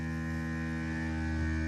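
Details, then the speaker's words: Dewalt Grabo vacuum lifter, second unit: steady quiet low hum with faint higher whine, no rattle, unlike the other unit, which rattles until it shuts off. "Again, really quiet. No rattling."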